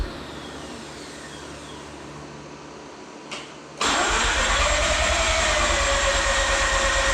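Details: Mazda RX-8 with a rebuilt, reinstalled engine, first start after the deflood procedure. Quiet cranking, a sharp catch, then a steady, even run with a smooth high buzz. Running normally after start.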